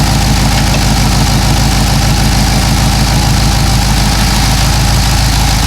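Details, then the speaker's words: Cadillac CTS-V LS engine with long-tube headers and broken header bolts, clamp bracket being tightened at idle: loud idle with a fast, sharp ticking puff on each exhaust pulse; header leak seemingly sealed once tightened. "There was definitely a tone change, and I'm listening, trying to listen very closely here. I think it's all gone."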